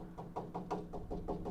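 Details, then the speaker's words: Hammer tapping a Dodge Charger frame rail near the leaf spring perch: quick taps about five a second, dull and low-pitched instead of ringing; lower pitch indicates rust-weakened metal. "Hear the difference in pitch? That lower pitch is rust."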